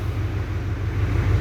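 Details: 2007 Duramax diesel truck, cold start after replacing one bad six-month-old battery that caused no-crank/slow crank and flickering gauges: deep steady idle, even low rumble, no misses or knocks, charging at 14 volts, healthy.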